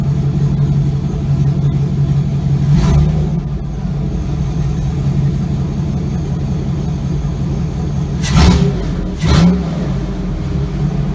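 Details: Chevy Avalanche with swapped 6.0L LS V8, first starts after rebuild, muffler not fitted so pipe hangs open: loud V8 idles steadily, revs up cleanly twice and settles back; smooth, engine sounds healthy.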